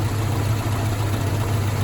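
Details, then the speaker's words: Mazda B2000 truck idling after a temporary knock fix: new rod bearings on a crank that needs turning, #2 rod bearing the culprit, engine rebuild planned. Low, smooth, even idle rumble with no knock or tick; the bottom end sounds healthy. "I wanted to uh actually needed to get this thing back on the road cuz again, this is my daily driver and uh so it's been doing fine."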